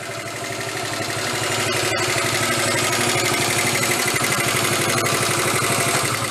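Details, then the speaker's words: 1974 Honda Z50 monkey bike idling with a quick, even putter and no misses after work on it. It's running much better now and the idle sounds normal. "there's a chain tensioner underneath here it actually sounds pretty good though it's definitely running much better now huh"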